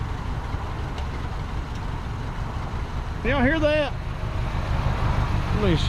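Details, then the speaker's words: Long-abandoned 1973 Ford Pinto Squire wagon started on old fuel: a loose, uneven idle with an unsettled rumble and a little smoke, which the owner blames on bad gas; rough running engine. "is uh she ain't purring like a kitten but she's running still putting out a little bit of smoke not surprised didn't that that bad gas is gonna cause that"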